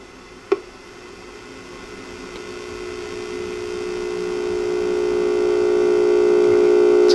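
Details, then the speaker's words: Second tube in a D-Lab Micronaut II analyzer; steady low hum rising slowly then holding with a clear pitch; heater leakage hum, a fault tube checkers can't detect, tube unfit for amplifier use. "This one though on the other hand has some heater leakage. Let's see what that sounds and looks like."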